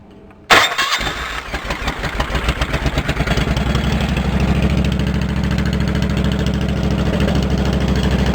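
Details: Engine on a 1650 Cub Cadet four-wheel-drive build, started and warming up with an open exhaust pipe: loud, raw, rapid popping bark with no muffling; too loud straight pipe without baffle, to be tamed.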